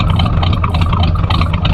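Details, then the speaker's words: Oldsmobile Cutlass 307 V8 back from mechanic, gas pumped before start, still burning oil and smoking at start; steady even low rumble with slight cam-like lope, no knocks or misses, normal idle. "I'm gonna die out I knew that was coming but bro that that Idol sounds good one more time come on come on now there we go listen to it y'all listen to that ground it sounds like you got a slight cam in it but you feel me"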